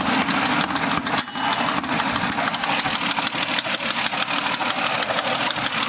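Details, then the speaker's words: 2005 Mazda 6 idling, oil changed 20 minutes earlier with no leaks, idle dipping slightly: sharp, uneven patterned tick about three a second from the engine over a slightly rough idle; owner unsure of cause, possibly valve-related. "It's like got like a pattern to it but it's coming from in here"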